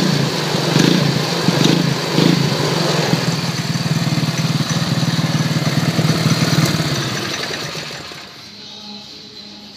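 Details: Cafe racer single-cylinder motorcycle, first start after carburettor rejet, new air filter and fresh oil, break-in run: steady single-cylinder thump at idle holding an even pace before easing off; runs smoothly and evenly.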